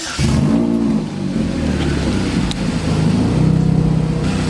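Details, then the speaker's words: Supercharged Chevrolet Cobalt SS, engine running and revving after a new tensioner bolt was fitted: faint, irregular intermittent rattle or slap under the exhaust note. It occurs less than before the new bolt but more often when warm; source uncertain. "it was an intermittent rattle before and it was it's kind of like between a rattle somewhat of a like a slapping noise"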